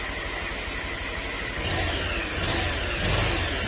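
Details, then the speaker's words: Second-hand Honda Click 125 scooter with a "big bike" noise: loud, rough, gritty uneven rumble that swells with revs. Parts already replaced elsewhere did not cure it; the noise is a worn crankshaft bearing, and the engine is to be lowered and overhauled. "Yan, pinalitan, pero yung ingay andyan pa rin, hindi pa rin nawala. Ibig sabihin, hindi ito yung may problema, kundi yung bearing."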